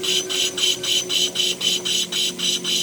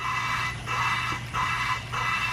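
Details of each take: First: Honda K24 rebuild, lapping a valve with compound, lubed stem: gritty scraping strokes about four a second that soften and drop in pitch partway; pitch change shows compound breaking down. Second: Valve lapping on a Honda K24 rebuild, valve spun by hand with light pressure and assembly lube on the stem: rhythmic back-and-forth scraping with thin hiss; the pitch changes and the gritty bite fades, showing the lapping compound has broken down.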